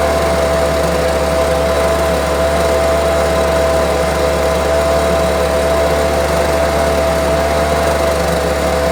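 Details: Homelite UT08572 string trimmer, small two-stroke, tested outside after repairs and a spark check: even, steady buzz at constant speed with no surging, stumbling or misses. Owner will check whether an earlier "tink" noise is gone. Normal running.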